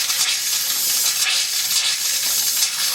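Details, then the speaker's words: Hot water heater refilled after flushing, cold supply back on and relief valve shut: steady loud hiss with irregular spits about every second at the hot faucet as trapped air purges before water flows. "All the air inside our system, that's going to purge. That's going to come out from there. See, as you can see, the air is started to come out."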